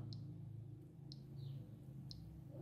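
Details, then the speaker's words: Electrolux LT15F washer with the interface board connected to the power board: only faint light clicks about a second apart over a low hum, and no power-on beep. Removing the interface board restores the beep, so the interface board is faulty. "mas ela não dá o hábito de novo vou colocar ó e não dá o apito"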